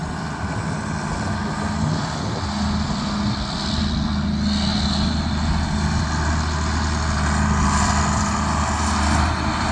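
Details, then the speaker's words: John Deere 4440 diesel tractor, restarted after about 12 years sitting, runs with a deep steady clatter at even pace, no knocks or misses over some wind; sounds really good, healthy engine. "wow sounds really good"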